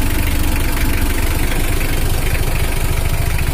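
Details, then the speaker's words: Brand-new factory-standard Mitsubishi L300 diesel after tuning to add power, owner had complained of running hot on the toll road: steady, even idle at a firm low beat, sound now dry but not harsh, throttle responsive; healthy. "dan ini adalah suaranya udah kering tapi tidak kasar dan bertenaga juga"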